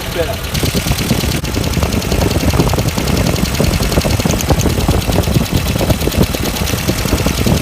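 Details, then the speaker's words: 1994 Ford Econovan, idle after replacing burnt ignition points and setting the gap and timing (an earlier slipped timing belt was already fixed). The idle is even and steady with no misses, far better than before. The #1 lead is cracked but still working. "This is much better than it sounded yesterday when those points weren't opening properly. That's where my timing's meant to be. The idle's a little bit more sensible."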